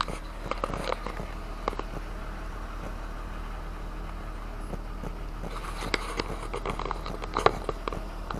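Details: Car at idle after replacing the ignition coil on misfiring cylinder 5 and clearing the code: quiet, steady low hum with no stumble or miss, only a few handling clicks over it; healthy idle.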